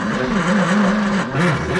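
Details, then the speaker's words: 1973 Mercury Comet GT, 302 V8, 3-speed, first start attempt in at least 35 years. Starter grinds slowly and unevenly, dragging on each compression; weak cranking, not enough power. "all right let's keep turning it baby ain't got enough power dude"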